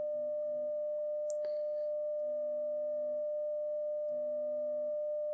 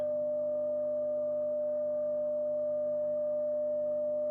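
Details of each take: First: Telefunken Gavotte 55 tube radio after recapping, during an amplifier test: a steady, pure mid-pitched test tone with no low drone beneath it; the hum is gone, traced to a dirty tube socket needing cleaning. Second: Telefunken Gavotte 55 tube radio after recapping, bass and treble controls adjusted: steady test tone over a constant low mains hum; source unknown, suspected tube or lead dress.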